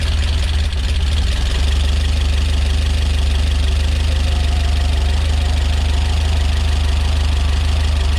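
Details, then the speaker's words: Rebuilt Peugeot 205 GTi Mi16 on first start: steady idle with a fast, loud ticking of about four ticks a second over the engine note. Noisy tappets suspected; owner hopes they clear up after a while. "Sappy, but apparently it'll clear up after a while. That's what I hope. Wow, really tappy that."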